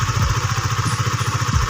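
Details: Honda Sonic 150, worn camshaft cover (from dry oil) repaired with an RXZ connecting rod, over two years and hundreds of km later: even, steady single-cylinder putter, about eleven beats a second, no ticking or knocking; normal idle.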